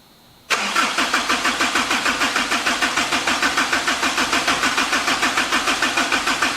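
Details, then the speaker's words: Kubota diesel engine being cranked; it never catches. Oil pressure reads 20 psi, but little fuel flows and there is much air in the fuel system. The fuel line and filter may be bled and refilled. "We're getting a little bit of fuel. Not enough where I'm happy with it, but there's still a lot of air here."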